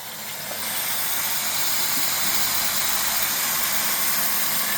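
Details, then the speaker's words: Silent frequency-controlled stainless 2HP booster pump set to start at 4.5 bar and stop at 6.5 bar: only steady hiss of flowing water at high pressure, no motor hum, whine or rattle; normal quiet operation. "Pompadan gelen bir ses yok. Bakın su akıyor. Yoğun bir basınç da gayet yüksek."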